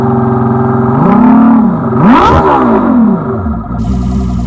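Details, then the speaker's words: Boat outboard after running in forward gear with throttle: revs climb and fall smoothly with a clean even buzz, no knocking or misfire; motor sounds good, normal running. "mortar sounds good alrighty well that's pretty much it"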